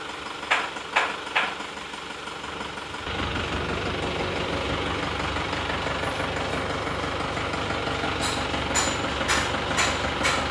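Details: Isuzu Panther Touring New diesel idling lumpy with loose tak-tok tapping about twice a second, engine itself shaking, not mounts; one cylinder seems not working, suspected injector nozzle.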